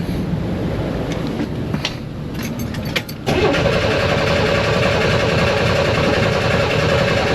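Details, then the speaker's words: Car that ran out of gas and was towed in as a no-start, with the tank in front and the engine in back on an eight-foot fuel line. Cranked steadily on a jump-starter pack, never catching: fuel starvation. "it cuz it ran out of gas and was towed in for a no start so now I have to crank it to get gas from the fuel tank in the front to the engine in the back it's like an eight foot long fuel line so we'll see we'll keep trying it"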